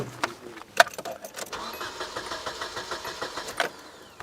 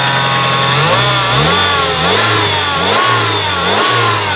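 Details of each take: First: 1996 Nissan Altima KA24DE 2.4L, cranked with nothing connected: quiet, even starter cranking at about four or five turns a second that never fires; crank no-start with no spark. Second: 1996 Nissan 2.4 after a no-spark no-start fix with coil replaced: engine catches and revs up and down, pitch rising and falling, running somewhat ragged because it is heavily flooded from cranking.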